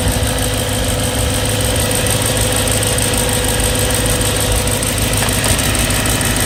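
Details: BMW E92 M3 S65 V8, 65,600 miles, oil changed 1 month/300 miles ago, idling: fast light even ticking over steady idle hum; ticking developed cold, less noisy warm but still present, cause unknown.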